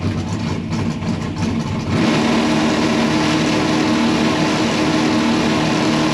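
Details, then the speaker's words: Drag race car full-throttle pass, presumed no-nitrous run, low ambient temperature, prepped track, no tire spin: loud steady engine roar builds after launch and holds under full load with no misses or knocks; running clean. "I'm assuming that's a no nitrous run. But car looks good, sounds good."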